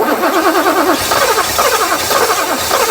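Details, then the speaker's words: 1984 Mercedes 500 SEL AMG that sat 27 years: starter churns evenly but it never fires, since no fuel flows to the injectors despite residual pressure. "we're not getting any actual fuel to the injector even though we had some residual fuel pressure there we're not really getting any fuel flow"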